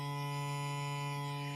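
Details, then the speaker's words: MP3 player kit fitted to an old amplifier/radio at high volume: loud steady buzzing hum with thin whine from poor non-coax kit cables and sharing the amp's transformer; a fix on the amp's 12V line cut it only about 50%. "tetap masih ada karena pengaruh kabel pengaruh penggunaan trapo yang bersamaan tadi"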